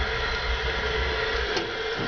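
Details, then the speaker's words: Roughly 90-year-old gravity gas furnace at startup, pilot lit via a mercury tilt switch: the gas catches, then a steady, even whooshing roar with no popping or flutter holds, so the burner ignites and fires normally. "little pilot light clicks on hear that gas he that thing fire up"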